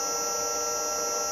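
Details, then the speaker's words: Victor lathe electric drive motor after bearing and seal replacement, running with the pulley fitted. The owner suspected bearing noise, a squeal as the spindle stopped when warm. Now a smooth, even hum with a steady high tone and no vibration or knocking. "All right, that's it running with the pulley on. No vibration issues there whatsoever."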